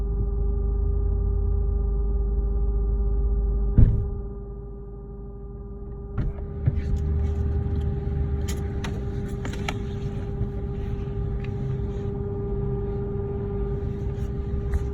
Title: Lexus GSF buzzing / humming sound from under rear seats